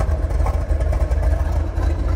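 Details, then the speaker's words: 1970 Chevrolet Corvette L46 350ci V8, four-speed manual, just after cold start: smooth steady low rumble, even firing, no knocks, pinging or lifter noise; quiet, healthy idle. "car runs really good and it's quiet as you can hear you don't hear any uh any engine noise no pinging no lifters w battling"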